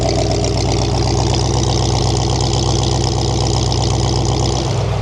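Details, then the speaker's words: 1978 Ford F100 that sat in a field about 15 years: running about 5 minutes after cleanup. Steady, smooth idle rumble with no random pops; less smoke than before, but blowby is visible. "If you notice also, there's no random pops, right? But it seems to be running nice and smooth."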